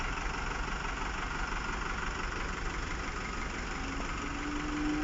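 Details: Chevy Captiva brought in by wrecker with the engine light flashing and low power: an uneven, lumpy idle with an irregular stumble a few times a second, an engine misfire whose cause is not yet found.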